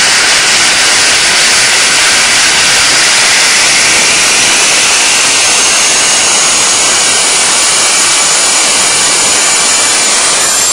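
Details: DIY turbocharger-based gas jet turbine go-kart with diesel afterburner, started on gas with blower and igniter: steady even roar with sharp hiss, no piston-like throb; running cleanly.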